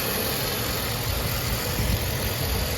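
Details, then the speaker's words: 1994 Mercedes W140 S430 V8 after tightening the loose gasket clamp at the bottom of the airflow sensor, which had caused high, surging idle: now a steady, even low rumble with no hunting. "it was uh high idle surging idle fluctuating power when you drive it now it's perfect"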